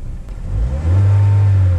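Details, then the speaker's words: 2015 Buick Encore 1.4L Ecotec with rough idle and many check engine codes: short rev-up with a low, uneven, stumbling note; sounds like a huge misfire, though covering the intake changes it, so mechanic suspects fuel rather than misfire. "Oh, that's a huge misfire."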